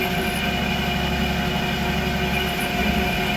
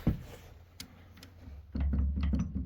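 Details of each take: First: Creworks 8x16 lathe after carriage play adjustment, making a cut: even motor hum with steady gear whine and no chatter or knocking; runs smooth, more rigid than before. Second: Creworks 8x16 lathe carriage rocked by hand before gib adjustment: loose, uneven knocks and rattling from carriage play, with a gib screw found completely loose.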